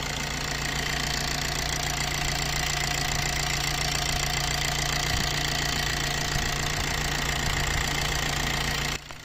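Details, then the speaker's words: Maruti Dzire engine after timing chain replacement, previously with heavy chain-set noise: steady even idle with smooth bright whir, no knocking or ticking; engine running healthy. "तो देखा दोस्तों अभी इसकी जो आवाज कितनी smooth हो जाति है अभी टाइमिंग चैन करने के बाद"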